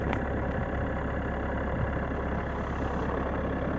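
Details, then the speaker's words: 2019 Renault Megane IV 1.5 dCi K9K 872 turbodiesel, cold start below freezing, idling: dull uneven rattle under diesel clatter from right side of engine bay for 3–5 minutes until warm; failing crankshaft damper pulley, replaced. "причём этот звук доносился больше с правой стороны было слышно вот такой вот Звук вот такой вот звук исходит на холодную от 3 до 5 минут"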